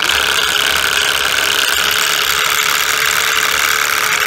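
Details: 2007 Toyota Crown Majesta UZS186, 3UZ-FE, 192,431 km: the air suspension compressor gives a steady hissing, rattly whir with a constant hum; new mount bushings didn't help, and the cause was play in the compressor motor bearing.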